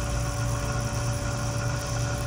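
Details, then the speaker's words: BMW M5/M6/X5M S63TU/S63R, newly replaced auxiliary water pump running during a second coolant bleed cycle before engine start: an even, low, steady hum with no grinding or bearing rumble. The old pump was loud from shot bearings. "See how quiet it is now? Before it was all loud, as the bearings inside were shot."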